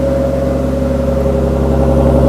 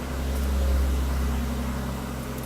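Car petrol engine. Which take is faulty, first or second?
first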